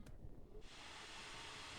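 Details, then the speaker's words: HP Pavilion dv6 laptop cooling fan after rewiring as a PWM fan to cure loud buzzing: spins up to a smooth, even airy hiss with no grinding or ticking; repair successful. "ça marche très très bien ça veut dire que notre système est bien réparé"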